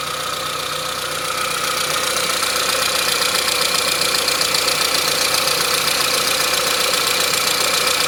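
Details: 1998 Saab 900SE testing suspected bad fuel pump, pump powered directly: engine settles into a steady, even idle with a constant high pump whir and no stumbling; runs fine on this fuel supply.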